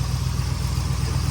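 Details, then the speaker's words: 1962 Corvette small-block V8, warmed up, restarting instantly after the hard-start fix of cleaned and adjusted distributor points, lubricated cam, coil and wiring repairs; even, deep burbling idle with no misses or knocks. "turn the key off, turn it back on. Starting right up. And that's the way it should be."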